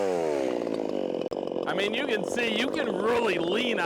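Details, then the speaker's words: 50cc Echo CS501P chainsaw on stock .325 chain, dogged hard into a log to try to bog it: screams at high revs, dips slightly each push into the cut, then pulls straight back without bogging; healthy saw under heavy load. "Now I'm gonna really dog it in and see if we can get this thing to bog down."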